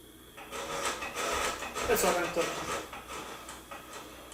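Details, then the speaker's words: Fisher-Price Cradle'n'Swing, new, loaded with a roughly 4 lb book: a rough, scraping grind in uneven rasping pulses for a few seconds at switch-on. "so that sounds happened for a couple of seconds when you turn the thing on"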